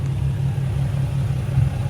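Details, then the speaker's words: 2003 Nissan 350Z at idle after a new clutch install with a lightweight flywheel, still breaking in: a low, steady rumble with a faint, uneven pulsing rattle. Mild flywheel chatter, expected and not bad. "you can hear a little bit of chatter but it's nothing too bad I mean it's a lightweight flywheel"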